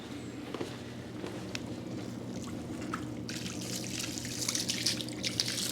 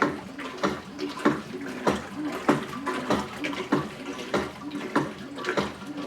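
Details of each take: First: Whirlpool Cabrio WTW8900BC0 washer picked up from the curb, mid-cycle: steady low drain motor hum under splashing water, with no grinding or rattle and a quiet tub; drain pump and tub bearing normal. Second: Whirlpool Cabrio WTW8900BC0 top-load washer during agitation: sloshing with a dull knock about every 0.6 s as the bottom agitator reverses; owner guesses worn or broken agitator assembly.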